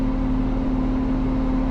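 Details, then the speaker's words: Lamborghini Diablo driving, air conditioning also lost: steady horn-like moan, like a trumpet in the engine bay, over the engine note under acceleration; source unknown, heading to a shop. "you hear that noise uh that is the lamborghini diablo making that wonderful wonderful noise"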